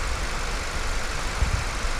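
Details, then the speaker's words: Honda Civic after head work, left idling to warm up and wait for the fan; no longer overheats: steady low idle, even rumble, no knocks or misses; healthy. "isso aí turma agora vou deixar trabalhar aqui esquentar esperar Ligar o ventilador lá dentro já não esquenta mais não passa mais lá"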